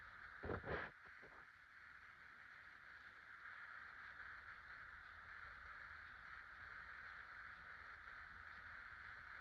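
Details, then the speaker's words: 1996 50" Casablanca Delta II ceiling fan (Emerson K55 motor) after bearing replacement, on low: switch clicks then a faint steady hush, running quietly and healthily. "Hi, here's a Casablanca Delta II fan, this time with new bearings. I'll go ahead and turn it on low."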